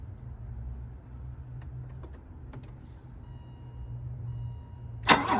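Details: 1985 BMW 325e E30 that sat parked for four years, after replacing both fuel pumps, the fuel filter, the crankshaft position and speed sensors, the plugs, distributor and rotor: a short crank catches quickly and settles into a steady, clean low idle.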